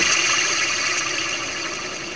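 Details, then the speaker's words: 1995 Ford F-250 4x4, idler pulley with a worn plastic surface, spun by hand: a dry, gritty rasp fading as it coasts, from extremely dry bearings. Owner suspects it causes the chirp at cold morning start-up. "you want to move on to the next pulley the idler pulley and and it's got some significant wear on there this is just plastic and see how this sounds and those bearings in there sound extremely dry"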